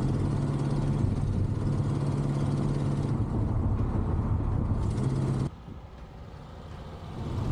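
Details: 1974 AMC Javelin, sat about 20 years, with AC on: uneven lumpy low drone that wavers then cuts off abruptly — rough running engine, transmission also slips; cause not confirmed.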